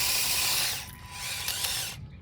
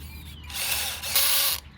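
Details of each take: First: Converted RC Masito Bobcat T590 tracked loader on a 7.4 V 2S 1200 mAh battery, after a jammed rock was removed from the track: steady high electric motor whine with gear chatter, stopping and restarting cleanly; drive back to normal. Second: Converted RC Masito Bobcat T590 tracked loader on a 7.4 V 2S 1200 mAh battery, running on dirt outdoors: sudden burst of harsh, rapid ratcheting as the track skips; rock jammed in the track drive, risking gearbox damage.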